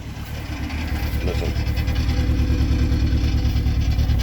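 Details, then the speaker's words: Saturn car that takes several tries to start: uneven, lumpy sputtering idle at about three pulses a second with stumbling beats. Misfire, and owner suspects a fuel injector or coil pack. "so it won't start first time hear it here sputtering"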